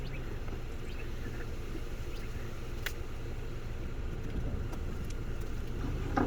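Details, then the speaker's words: Honda Civic EJ1 started after a decade, motor still strong, idling outdoors: low steady rumble with even beat, no knocks or misses; normal idle. "she started right away and like i mentioned this is a pretty strong motor it's still running strong it's a very solid motor doesn't look like it but it is"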